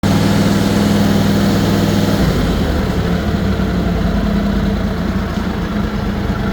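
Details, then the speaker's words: Simplicity/Ferris Derby zero-turn mower twin engine after ignition coils/modules were replaced to cure exhaust popping at higher rpm: quiet, even idle and rev with no popping. "and you can see how quiet that engine is right now we're going to rev It Up and there's absolutely no popping"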